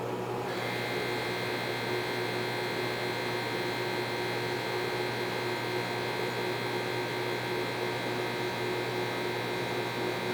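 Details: GE Spacemaker JVM1752 microwave, about a year old, running: loud, steady mains-pitched harsh buzz throughout operation. Transformer and magnetron were both replaced; owner believes the failed transformer caused the buzzing.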